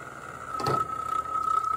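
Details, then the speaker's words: $5 hair dryer with no safeties left, smoking in cardboard box, partly melted: thin steady high whine with a clunk partway; overheating, straining fan noise as parts melt. "Man, does that sound awful. Top's kind of bowed out. Maybe the tape's just giving out a little."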